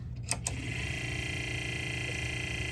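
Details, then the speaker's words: Sony TC-K65 cassette deck: after a couple of clicks, a steady high whirring hum with a drill-like buzz sets in. Noisy capstan motor bearing. "our power tools are back online or at least our power tool sounding tape deck is back online"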